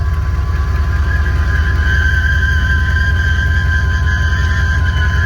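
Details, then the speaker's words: Hot rod on the Power Tour, right after a morning start: steady high-pitched squeal over a low, even engine rumble; it had made the noise on the same morning's start, source not pinned down. "And it made a noise. Let's see if it'll do it again, or maybe it'll go away."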